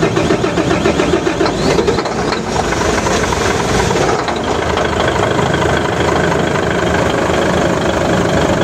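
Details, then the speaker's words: Truck with a 6M70 diesel that previously would only start with contact cleaner sprayed into the intake, cranking long and roughly before catching into a rough idle after calibrated replacement injectors were fitted; still hard-starting. "so ang problema ngayon guys is hard start siya Ah medyo matagal siyang mandar"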